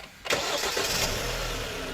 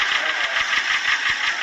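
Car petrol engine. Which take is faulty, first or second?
second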